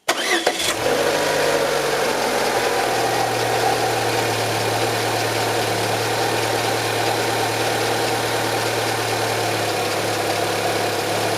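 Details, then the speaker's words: Renault Logan, K4M engine, DP2 automatic, started after antifreeze change (Felix coolant) and run about 5 minutes until coolant warms and thermostat opens at 95 °C; cranks, catches within a second, settles to steady even idle, no knocks or misses; normal. "Запускаем двигатель и даем поработать некоторое время. У меня это около 5 минут, пока жидкость не прогреется и откроется термостат."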